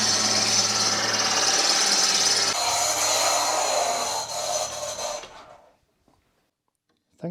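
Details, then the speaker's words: Fiat Panda 4x4 with 1.1 FIRE engine, started after a cambelt change: a fast, regular high-pitched scrape over the running engine, then shutdown. The washer or spacer under a bolt is rubbing the crankshaft pulley. "something seems to be touching the bulk down here so let me try to show you can you see that bolt in the mirror that is touching or the spacer or the washer beneath it is touching the wheel touching the crankshaft pulley"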